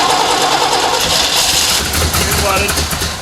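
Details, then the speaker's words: 1968 Chevy Malibu with Quadrajet carburetor and timing problems, cranked with throttle held to the floor: fast uneven cranking chatter, then a brief ragged catch that fails to settle; flooded engine being cleared. "all right it's a flood problem okay so you can get it fire it's on the floor"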